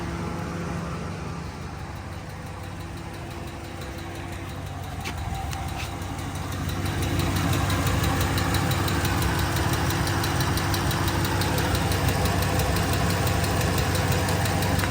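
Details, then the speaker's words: 2012 Dodge RAM 1500 V8 after new fuel injector install: light, regular ticking about three per second at idle, growing slightly with revs; owner suspects exhaust leak on one side, manifold bolts not broken, not confirmed. "I'm honestly wondering if it's an exhaust leak somewhere over here, but those bolts don't look broken."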